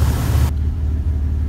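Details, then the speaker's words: 2001 Dodge Ram 1500 5.2L, previously surging with MAP sensor code P0107: steady even low idle rumble with no hunting or surging; sounds much better. "so we see a difference vehicle is sounding a lot better damn sensor let's go inside let's check it out"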